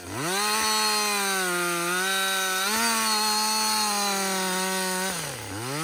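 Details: Husqvarna 562XP two-stroke chainsaw, back from the dealer after being reflashed for dying when hot and failing to start, now hot after long continuous cutting: strong steady scream holding speed, dropping briefly between cuts; normal running under load.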